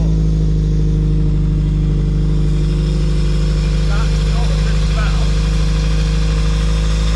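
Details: Toyota MR2 after driving through deep floodwater that entered the intake, running after spark plugs were cleaned, just below operating temperature: steady even low idle rumble, no misfire or hesitation; engine settled and running cleanly.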